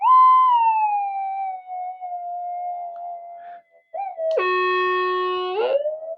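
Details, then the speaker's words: Upgraded Minelab GP3000/GP3500 detector with gain turned up: clean warbling tones, then a harsh flat buzz for over a second; the amplifier distorts because the battery voltage dipped too far. "hear that that's my amplifier um the battery voltage dip too far and it made that noise"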